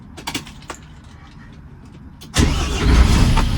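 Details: Mercedes diesel truck with an AdBlue fault, restarted after the engine management light went out: quiet, then the starter catches quickly and the engine settles straight into a steady, even idle with no stumble; a healthy start.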